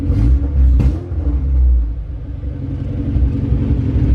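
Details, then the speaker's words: K24A2-swapped Honda CR-V at first start, data logging, with the TPS now reading after the power wire was connected: a deep, steady idle with no knock, miss or hunting and no check-engine codes; normal idle. "there we go it idles it sounds so much better we got tps action now"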